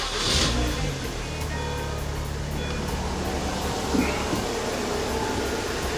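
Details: 2006 Mini Cooper after no-start, no-spark fixed by realigning the EWS immobilizer: engine runs steadily with no stumbles or knocks under background music; healthy smooth idle, normal running.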